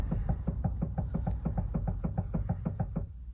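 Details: 2013 Toyota Prius Plus steering column: quick, dull hollow knocks about three a second as the steering is worked, from loose column bolts; fixed by loosening and retightening a 12 mm bolt.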